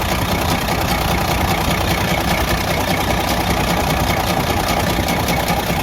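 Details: Freightliner Cascadia DD15 diesel at idle: heavy, rough rumble with a dull knock repeating about two to three times a second; loud knock from major internal engine damage.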